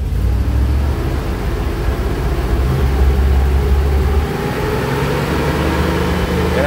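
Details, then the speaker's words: Carbureted 5.3 LS swap truck, in neutral: an uneven, stumbling engine note with irregular dropped beats smooths slightly when revved but keeps missing, a misfire from a failed MSD 6014 ignition box. "gets a lot better but it's still missing quite a bit okay so we've got a little bit of diagnosis to do you can easily hear a misfire"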